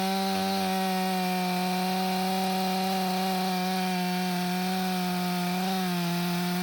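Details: Stihl MS 500i chainsaw (62 hours, stale fuel after long sitting), warm, cutting frozen wood after recalibration and fuel purge: high steady two-stroke buzz with only slight pitch dips under the cut, no stumbles. The main problem is believed to have been the fuel pump.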